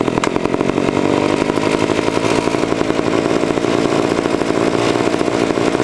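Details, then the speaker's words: 1970s ARCO 3533 mini bike, first ride after a budget get-it-running fix including a leaking fuel tank grommet: the unmuffled two-stroke gives a harsh, rattly, shaky buzz at high revs, doing about 5 mph at 10,000 rpm. "on top of that you're doing five mile an hour at 10 000 rpm a"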